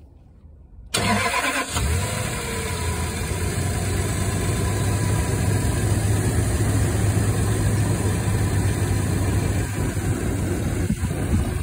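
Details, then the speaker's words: Toyota Land Cruiser 200 after replacing the squeaking fan clutch: engine cranks, starts and settles to a smooth steady idle with no squeak or chirp from the fan; quiet, no squeaks heard so far. "тихо никаких скрипов ничего нету По крайней мере пока ничего не слыша"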